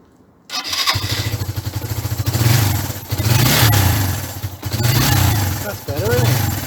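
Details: 1994 Suzuki GN125 that would not start, after cleaning the CV carburettor, choke on; catches right away, then settles into an even single-cylinder thump with a few clean throttle blips, starting and running healthy.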